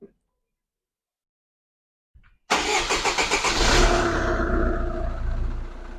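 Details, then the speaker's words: SsangYong Kyron 2.0 diesel after timing chain tensioner replacement and partial oil change: a few quick cranking beats, fires at once and settles into an even idle with no chain rattle; normal start and idle. "И как мы слышим у нас мотор Сразу начал работать без звука какого-либо у нас уже держит"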